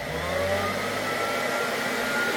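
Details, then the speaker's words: Vintage Hoover Junior 119 vacuum running: steady, even motor whir with no pitch wobble, rattle or scraping, though it blows dust out from a dirty bag. The motor runs smoothly and healthily. "Sounds quite smooth. Oh, it's blowing dust. Blowing. See, dust coming out. Oh yeah, it's filling out. It's filling the room with dust. It works and it sounds smooth."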